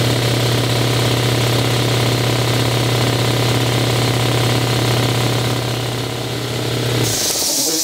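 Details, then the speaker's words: 60-gallon air compressor bought new around 2009, first run after replacing leaking head gaskets: steady pumping thump about four beats a second, smooth motor hum, no knocking, then shuts down; running fine. "this will be the first run since uh we did all the replacement stuff up on top I will uh change the oil after this but I'd like to run it a little bit just to see how it runs and hopefully nothing uh falls apart so here we go"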